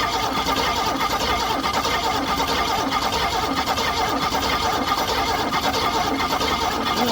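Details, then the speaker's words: Ford V6 swapped into a 1970s GM Andino truck (originally inline-4, now automatic), sat in a Florida field for years, cranked by jumping the solenoid with ignition on: steady rough cranking that never catches; spark, smoked wiring and carburetor linkage in doubt. "Just got to make sure there's spark. Everything under here's smoked. But it's cranking right."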